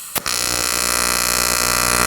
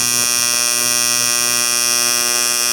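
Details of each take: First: Arccaptain 200A AC/DC TIG welder, AC TIG on aluminum with 4943 filler; harsh coarse steady buzz, AC frequency sounding low, about 60 Hz versus usual 120–240 Hz; puddles fine. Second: Arccaptain 200A AC/DC TIG welder, AC TIG on aluminum with blunted tungsten after adjusting AC frequency; steady high buzzing tone, no sputter or popping, focused heat; clean stable AC arc.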